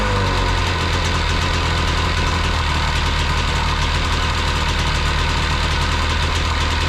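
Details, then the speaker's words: Jet boat two-stroke engine with freshly rebuilt carbs, fresh gas: fired right up, steady even burble at constant low idle, no stumbling or surging; idles cleanly. "oh okay she fired right up and sat there in idle"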